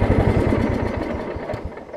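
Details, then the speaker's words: Over-20-year-old Craftsman riding mower, Kohler Command engine, after the misfitted deck belt that locked the engine was refitted correctly: settles from a brisk run down to a smooth, steady idle, coming down cleanly as it should; normal idle. "i mean look at the thing even idles down like it needs to"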